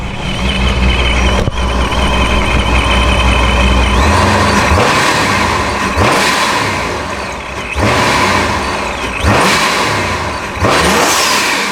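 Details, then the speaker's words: Dodge Charger Scat Pack 426 with ProCharger supercharger, while checking a boost leak that had limited it to about two pounds of boost: stationary throttle blips each followed by a quick airy whoosh of the blow-off valve venting on throttle release. "alright so now I'm going to give it some throttle and we should hear a blow-off valve noise"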